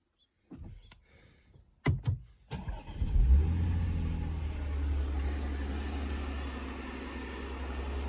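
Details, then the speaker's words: Audi/VW manual car just after an oil change, fresh start: cranks briefly, catches cleanly and settles to a steady even idle with no loud noises, knocks or rattles; normal cold start. "as you guys can hear it fired up perfectly fine no loud noises no banging no nothing just fire it up so [Music] smooth"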